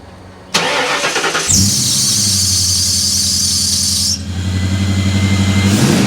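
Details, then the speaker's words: 2000 Ford Explorer XLT 5.0 V8 AWD at startup: loud, high screech over the idle for a few seconds as the serpentine belt slips. Fixed by replacing the belt, upper and lower idler pulleys, and tensioner. "if you heard the footage at the beginning of this video it didn't sound quite right"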